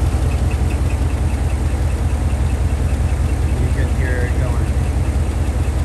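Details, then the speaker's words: 2015 GMC Denali, L86 6.2 V8 with DOD, 114,000 miles, idling: high-pitched chirping squeak three to four a second over a deep rumble, changing with rpm. Bad roller lifter, intermittent from about 110,000 miles and slowly worsening. "It started doing the noise intermittently, probably closer to actually 110,000 miles, and has been just slowly getting worse."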